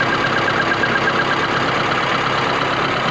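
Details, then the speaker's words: VAZ 21099 petrol engine at idle with a faint tapping that comes and goes, only from time to time rather than keeping time; unusual intermittent knock of unknown origin. "вот сейчас было слышно ну не всегда not время от времени постукивают"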